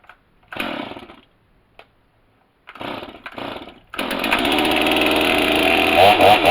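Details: Stihl MS250 chainsaw with 18-inch bar, cold start on choke, chain brake on: two cord pulls, then fires and holds a steady high-pitched run with a couple of throttle blips. Normal healthy cold start; kill switch known not to work.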